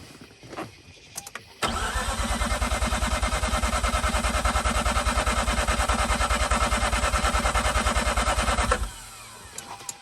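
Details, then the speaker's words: 2004 Mazda RX8 rotary after sitting two years: steady starter cranking about three pulses a second for seven seconds, never firing. It had started briefly, sputtered and died, and the accessory belt shredded. Crank, no start. "so it does not want to start right now"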